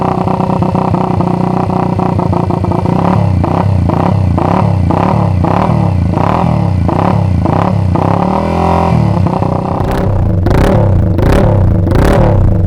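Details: Restored 1979 Honda XR80 single, with unknown fuel in the tank; it starts and idles evenly, then picks up crisp, clean revs with a deep exhaust growl; nothing knocking, sounds healthy.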